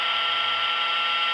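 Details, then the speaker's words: LCD TV switch-mode power supply heard through an inductive-coil telephone amplifier: steady, bright electronic buzz with a hissy edge, distinct from 60-cycle hum; normal switching operation. "here's a switch mode power you can hear it's got a very different"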